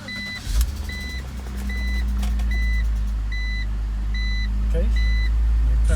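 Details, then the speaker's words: High-mileage BMW X3 with intermittent no-start, after ignition switch replacement: warning chime pulses while engine catches first try and settles into an even idle; healthy start. "goes on at least it starts in one shot okay let's try it again nice cool"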